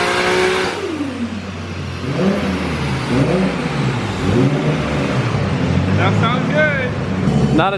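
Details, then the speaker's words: Built RB25 Skyline on the dyno, Garrett 3071 turbo, 9:1 CP pistons, 900cc injectors, EMU Black ECU, after an ECU fix so it can rev out: climbs cleanly to the top without cutting, then drops back; normal full-rev pull. "The ECU was doing something funny, so we called up our Canadian friend. Well, I guess he's not Canadian, but Daniel from Post Haste Performance, and he got it so it can rev out now."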